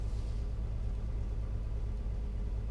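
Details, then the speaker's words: 1995 VW Corrado VR6 whose compression test revealed major engine issues: on cold start it gives a deep steady idle rumble with a coarse edge and no clear knock; the owner finds the cold harsh on it, and the cause is unconfirmed. "I can hear that the cold is harsh to my Corrado."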